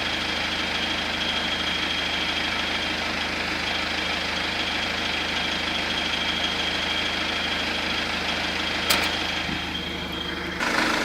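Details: 2009 BMW 120d diesel, 53,000 km, idling and recorded on a phone (after 30 s from outside the car; volume swings likely phone auto-gain): sharp clattery ticking that comes and goes unevenly; an irregular engine noise of unknown source, which the owner likens to a cricket.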